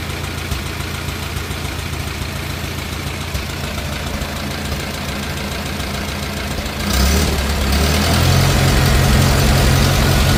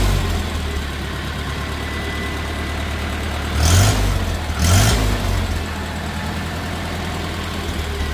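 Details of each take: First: 1950 Farmall Cub four-cylinder after engine rebuild with pop-up pistons, new magneto and on-off switch: even steady putter, settling then picking up slightly near the end, no smoke; smooth healthy idle. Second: Rebuilt 1950 Farmall Cub engine with pop-up pistons at first startup: light quick ticking over a steady idle that quickens with revs, from loose exhaust manifold bolts leaking; tightening them fixed it.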